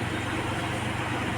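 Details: Geely Azkarra 1.5L petrol engine idling smoothly with a steady low hum, no stumbles, after replacing a non-original spark plug that caused cylinder 1 misfire and white smoke; normal idle.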